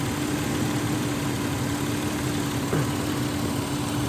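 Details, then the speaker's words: 2001 Ford Explorer Sport that died at idle and would not start for about six months: after swapping the PCM/EEC relay it started right up and now idles steadily and evenly with a constant low hum, no misses or hunting. "I removed this relay and I put the one that was right here right there and it started right up and that was it I hope that helps"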